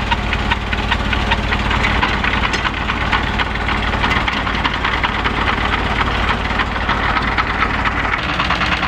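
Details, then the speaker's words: Diesel engine driving a PPC 45 rice-husk mill, restarted after checking for water leaking at the cylinder head gasket: even, rapid clatter holding a steady beat under load with no misses or odd knocks; normal running. "nanti mesin ini akan kita hidupkan dan mulai beroperasi kembali ya guys. Ini adalah penggilingan sekam dengan PPC 45."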